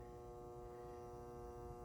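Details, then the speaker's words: Battery charger on its 50 amp start setting charging a deeply discharged Optima Yellow Top battery from 5.5 V, reading 14.4 V; steady even transformer buzz-hum, normal operation. "14.4 is not bad. And you can hear it buzzing."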